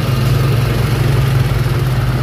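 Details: Toyota RAV4 petrol engine idling steadily after a cranking-but-no-start fault was traced to a wire and fixed: even low rumble with no misses, knocks or ticks, running right.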